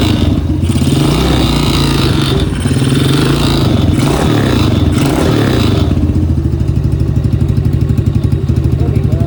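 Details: ATV startup with a brand-new carburetor: loud rough idle with a fast metallic rattle on every firing pulse, steady throughout; source of the rattle not identified.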